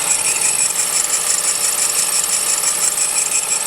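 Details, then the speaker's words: 2007 Honda CR-V cold idle: steady high-pitched whir with light chirping from the belt area, going away once warm; owner believes the tensioner pulley behind the power steering pump, fixed by replacing the tensioner. "after it warms up it goes away but I'm pretty sure it's the pulley on the tensioner behind the uh power steering pump"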